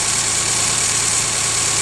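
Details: 1997 Geo Metro, 1.0-litre, 5-speed, after a drivetrain restoration (it had smoked with no power before): a steady, even idle with a smooth low hum under a lot of hiss, no knocks or misses. Sounds healthy.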